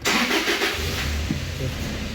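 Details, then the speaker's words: Toyota Hilux 2013-2014: brief crank, engine catches with a quick rev, then sags and dies within a second or two; scanner shows ignition coil A and B primary/secondary circuit codes; starts then stalls. "इसमें यह प्रॉब्लम है कि गाड़ी को स्टार्ट करते हैं और साथ ही गाड़ी बंद हो जाती है।"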